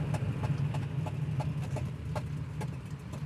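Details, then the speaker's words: 1972 Nova street/track build while driving to a baseline test: sharp uneven ticking knocks about three per second over low engine rumble; crew suspects a spark plug came out or exhaust fell off, unconfirmed; engine knock while driving. "So, it sounds like something knocking or like literally a exhaust fell off."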